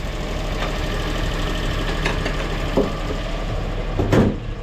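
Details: Duet car after a day out in the rain, started with the check-engine light on, error unread: steady, even low idle rumble with no misses or knocks over several seconds; normal idle.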